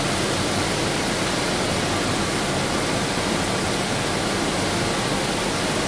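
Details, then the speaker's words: 1992 Daimler Double Six Jaguar V12, warm, engine speed raised: steady even rushing hiss with no knock or tick, heard after a while at higher rpm as a gushing sound through the oil filter housing; suspected source. "after a while at that higher rpm i heard a weird gushing sound going through the oil filter that is definitely definitely it"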